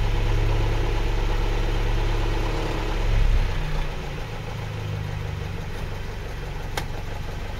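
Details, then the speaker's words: 1983 Land Rover Series 3 long wheelbase, partway through fitting polyurethane acoustic matting: low steady idle drone with buzzing roof resonance that stops when a hand presses the roof; loose roof panel vibrating at idle. "I can already hear the difference in the front just with it ticking over. You can hear the roof starting to vibrate. Put my hand on it, it stops"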